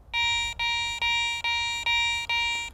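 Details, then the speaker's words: Garrett ACE 400i metal detector in jewelry mode with some iron knocked out, iron audio not yet on, over a bottle cap; six clean high steady tones about two a second, no grunting, still sounds like a good target. "sounds like a pretty good target but let's check it for iron grunts by putting our iron audio on and go back over it again"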